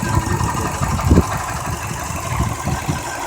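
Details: 2002 Subaru WRX 5-speed, about 141k miles, idling with an uneven low rumble and rough chatter: timing belt tensioner bearing failing catastrophically; belt did not skip teeth, valves undamaged.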